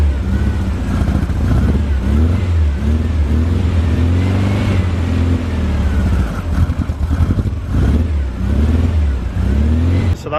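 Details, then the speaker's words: VW Beetle air-cooled flat-four, first start: catches and settles into steady, deep, even beat with slight throttle swells. Normal start and run. "start there that's it started"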